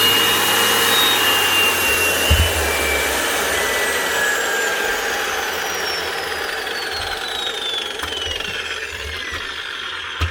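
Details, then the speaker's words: Makita GA9040S 2400 W angle grinder with Laserchaser twin-blade head, replacement grinder, off-load test: high whir winding down smoothly after switch-off, no rattle or grinding; runs normally. "That's her. Sounds good. I'll keep this man running."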